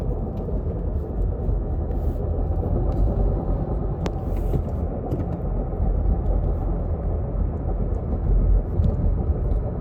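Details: 2017 Subaru Impreza 2.0L, TR580 CVT, about 116,000 miles, driving: steady coarse rumble and grind from a failed secondary pulley/variator bearing, with bucking at low speed and no DTCs; the transmission was replaced.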